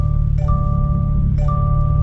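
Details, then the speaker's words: Toyota GR86 barely moving in a cul-de-sac, seatbelt unbuckled: a clear two-tone reminder chime repeating about once a second over low road rumble, growing louder the longer the belt stays off. "louder there we go listen to how loud that chime is now obviously the chime is there to remind you hey you need to put on your seat belt"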